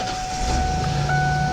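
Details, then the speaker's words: 1995 Ford E350 van, 145,000 miles, oil changes with Valvoline only. Starts right up, catching quickly and settling into a steady, even idle with no knocks or misses: normal start and idle. "starts right up radio works we'll turn that off"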